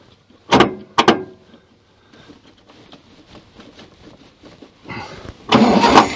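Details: 1966 VW Beetle, starter hot-wired from the battery after earlier weak cranking. Sharp clicks and a pause, then the starter spins the engine strongly and briskly; normal cranking.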